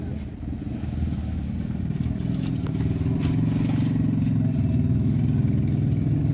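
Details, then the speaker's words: 2023 or 2022 Honda City, manual, with a starting problem, after the repair including a new bolt fitted in a 10 mm nut: engine catches and settles to a steady, even low idle, running cleanly and healthy. "अब यह ना माशाल्लाह गाड़ी okay है ये देखि बिल्कुल okay है"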